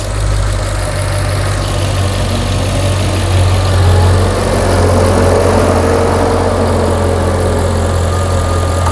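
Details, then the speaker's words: Mercedes S63 AMG V8 after partial engine rebuild for left-bank misfire, first start: initial noise was oil filling the lifters, then a deep, even rumble and smooth steady idle with no tapping or misses; normal idle. "Okay, so the noise you've heard at the beginning when we just fired it up was the oil climbing actually into the lifter, closing the gap."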